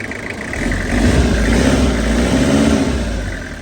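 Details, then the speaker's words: Toyota HiAce van, 2.5 L (2,500 cc) engine, ex-government auction vehicle with light use, driven from Buriram: engine revs rise smoothly and settle to an even, steady deep note with no knocks or rattles; healthy engine. "เครื่องดีเครื่องดีรถหลวงเาใช้งานน้อยเครื่องดีอยู่แล้วไม่ต้องห่วงเลย"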